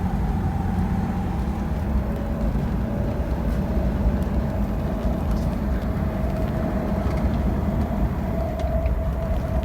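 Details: BMW 635csi E24 driving: under steady road rumble, a mid-pitched drone that changes with road speed, not rpm; it seems to come from the engine area, is quieter under load and fades when hot; worn driveshaft center support bearing, fixed by replacement.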